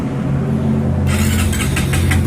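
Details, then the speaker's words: Honda Supra X 125 R fuel-injected motorcycle that came in with a dead electric starter, after refitting the starter motor assembly: starter whirs briefly, engine catches at once and settles into a steady low idle; normal electric start. "langsung bunyi dia hitam dinamo starter ini bekerja hanya pada saat menghidupkan ya kita tombol starter ditekan"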